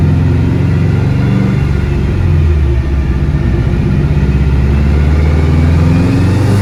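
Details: Car on dyno under full-throttle load, logging per-cylinder roughness; deep drone with ragged stumbling beat; cylinder four misfiring.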